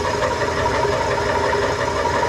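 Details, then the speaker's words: Old Craftsman indirect-drive 120V lathe, back in service after cleanup: a steady running drone with a scuffing rub from the belt sitting at a steep angle. Moving the belt one slot over is planned to reduce it. "That rubbing noise is the belt because it's at such a drastic angle."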